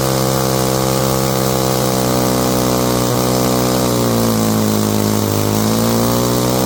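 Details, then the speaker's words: Old chainsaw winch two-stroke engine, warmed up after carburetor cleaning and high/low screw adjustment: steady buzz holding an even pitch with only a slight dip and recovery; runs clean and healthy. "all right that sounds good to me let's hook it up to something and see what he can do"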